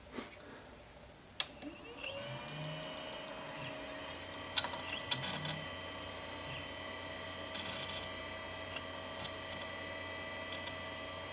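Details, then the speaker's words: Original Xbox (Kasumi blue, transplanted 1.0 board) with its original Seagate hard drive: the small drive spins up with a rising whine, then sharp irregular clicks over a steady hum as the heads fail to park; the cause is suspected, not confirmed. "Hear it clicking away? Fantastic."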